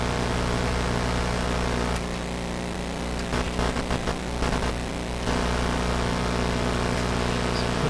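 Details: Westinghouse Model 1029 multiband tube radio: local oscillator will not oscillate on the two highest bands, cause not yet known; switching bands gives only steady hiss with low mains hum and no stations, while broadcast band works.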